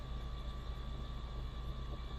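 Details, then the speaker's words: Triumph Stag engine not run for about 15 years, cranking with spark plugs out to build oil pressure (reaching 30 on the gauge): starter spins it briskly and evenly, steady whirr, no knocks or binding. "so it should turn over at a fair old speed it going to build pressure here it goes yep 30"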